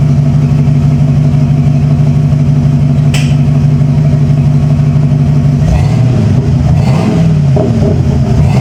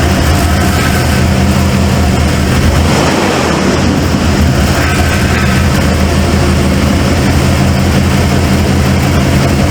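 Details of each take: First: 1995 Ford F-150 V8 barn find: after a jump start it stumbles briefly, then an even V8 burble holds steady and picks up cleanly on the throttle with no stumble or miss. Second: Cold start of a 1995 Ford F-150 barn find: a loud, lumpy idle with a stumble breaking the rhythm. The owner suspects a plug wire or firing order.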